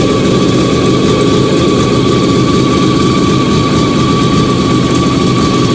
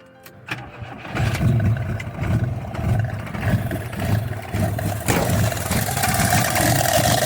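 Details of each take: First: Fiat 125 (Bialbero) on CNG with a newly installed carburettor gas injector and the original air filter, just started. Steady even idle, smooth low drone and constant mid tone, no misses, knocks or hunting. Normal idle. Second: Fiat 125 Bialbero running on CNG through a newly installed gas injector at the carburetor, air filter not yet properly fitted: engine catches after a short crank, then idles lumpy and uneven with a wavering beat; rough idle.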